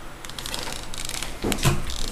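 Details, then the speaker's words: Traxxas Revo RC truck rolled by hand with all four tires down, after power loss and self-reversing: a few sharp clicks from the front drivetrain, nothing steady between; owner suspects a bad gear, spur gear looks fine. "Hear that clicking sound? It's coming from the front somewhere. It's coming from up in the front somewhere. I'm assuming one of the gears is bad."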